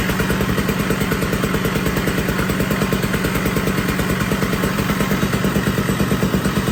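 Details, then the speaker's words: 1980 Puch Murray moped with a Tomos A35 top end, Mikuni VM18 carb and custom Estoril pipe, on its first start at -7 degrees with the engine super cold: fast, uneven two-stroke popping that stumbles and clatters at idle; still needs carb jetting. "Still got to work on jetting and everything, but the bike is running. Pretty fucking sweet. And the engine is super cold."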